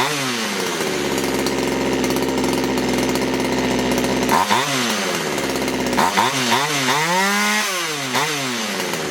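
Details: Poulan Wood Shark chainsaw just after the low jet was leaned slightly: the small two-stroke holds a high, steady buzz instead of settling, then surges up and down. This is a racing idle; it keeps flooding, and the owner suspects a sticky needle and seat.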